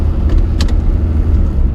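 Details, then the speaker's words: Automatic car in wet snow, held in low gear: steady heavy engine drone at high revs with no shift; the transmission wants to upshift but stays in low until second is selected manually, which is normal. "transmission wants to flip over but it won't flip over until you you actually put it in second gear"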